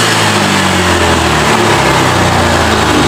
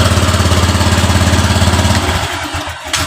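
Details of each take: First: Honda Vario 125 LED scooter after idle set to 1400–1500 rpm with injector duration around 2.x ms; revs up cleanly and returns to a steady even idle without stumbling, throttle response now normal after fixing hesitation and stalling. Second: Honda Vario 125 LED scooter that lacks power and stalls while running: a slow, lumpy idle pulsing about 3.5 beats a second, sagging toward stalling. Idle rpm is set too low, so it is being raised to 1400–1500 and throttle opening corrected from 0.5 to 0.4.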